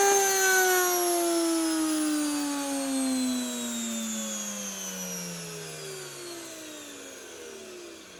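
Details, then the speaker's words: Motor from a 1997 Rainbow D4C SE canister vacuum coasting down after replacing a failed, ticking PGN bearing. A clean whine falls smoothly in pitch with no ticking or rattle: a normal run-down, and the bearings sound healthy. "All right, that's good. No ticking and banging."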